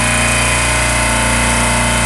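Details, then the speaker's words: Compressor losing crankcase oil, with low oil pressure locking it out: loud, steady mechanical drone with a harsh rattly edge; oil level visibly drops while running, suspected bad internal bearing or worn oil pump. "you know that's a sign of a bad internal bearing"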